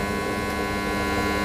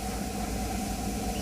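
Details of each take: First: Water pump motor starter on a live power supply, before the fix: loud, steady electrical buzz while the motor runs; the starter is giving noise. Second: Water pump motor running: even, steady hum with a faint constant tone, no chatter or rattle; the earlier loud starter noise is now much reduced to normal, though voltage could also cause such noise.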